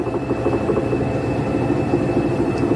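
A top-load washer spins with a steady, even hum and no roar or grinding from the drum.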